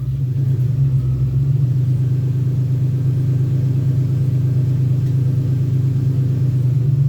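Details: 2001 Ford Ranger XLT 4.0 V6, running after a long morning crank-no-start: deep steady rumble with even beat, no misses, knocks or ticks; idling smoothly despite many replaced fuel and ignition parts.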